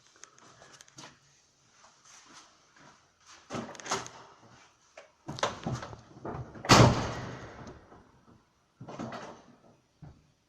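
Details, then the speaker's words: 2007 VAZ 2112, about 90,000 km, after replacing worn stock clutch cable lever (fork rubbing caused squeak) with upgraded one: several dull clutch pedal thumps and clicks, no squeak; needs no lubrication. "Ну собственно и всё сейчас нам Останется только подревателя скрипов никаких нет обслуживать данный поводок не нужно смазывать тоже"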